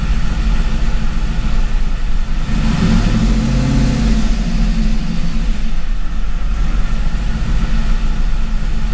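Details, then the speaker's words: C5 Corvette Gen 3 LS1 with LS3 90 mm gold-blade throttle body, cold start after a difficult start: deep steady rumble with a brief rev blip, then even idle warming up without misfire; closed loop set at 150 degrees. "but I was able to get it to run an idle we'll let it warm up here just a second"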